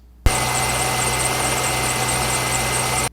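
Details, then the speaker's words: 2002 Corvette Z06 at idle: a steady high chirping squeal over a smooth idle, coming from the belt drive system at the front of the engine. Belt squeak. "so hopefully you heard the squeak that's coming from the belt drive system at the front of the engine"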